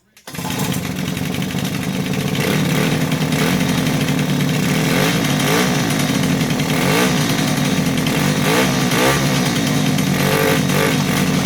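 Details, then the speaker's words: 2005 Suzuki LT-A50 two-stroke ATV under restoration, with a new kill switch, air filter mount and tuned carb, started in the shop. A sharp, buzzy rattle catches and settles into a steady, even idle with no misses or knocks; it runs healthy. "but this little thing runs like a champion now man I'm telling you I haven't even ridden it yet but um have you know run it a few times here in the shop and it is doing good"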